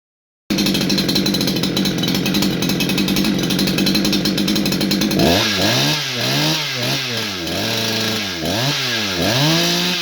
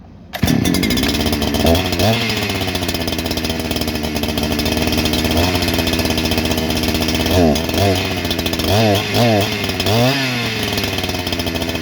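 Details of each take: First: New Holzfforma G288 88cc chainsaw (Husqvarna 288 copy) with a 24" bar, after fixing an air leak from an improperly seated oil pump seal on the clutch side. It holds steady high revs with clean throttle blips and no stumble or bog. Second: New Holzforma G288 88cc chainsaw (Husqvarna 288 copy) with a 24-inch bar, first start: it idles unevenly, then revs sag and surge on throttle instead of climbing; cured later by tapping the clutch-side crank seal; air leak causing lean running and bogging.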